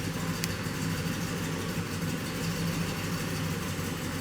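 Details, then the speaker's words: 2007 GMC Yukon, 5.3 L V8, stalls after starting, then idles lumpy and sloppy with a nasty irregular misfire; a leaking intake valve is the first suspect. "now it's finally idling and we got a nasty Miss I don't know if you guys will be able to hear it and our idle is pretty sloppy"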